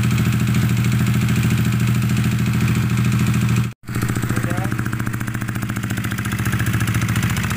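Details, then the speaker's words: Yamaha NMAX scooter engine previously wrecked by water hammer from flooding, idling loud, rough and uneven with a chuffing beat three to four times a second, shaking, stumbling and smoking heavily; internal hydrolock damage. "kasar banget ya berasap banget"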